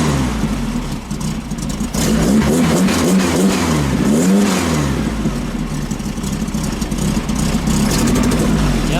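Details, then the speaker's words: 1915cc air-cooled VW flat-four in a Manx buggy with a 009 distributor and off timing, blipped: revs up quick but stumbles immediately on throttle tip-in; belt slipping and squealing. "Revs up quick, that's for sure. does have that stumble immediately when you get on the front."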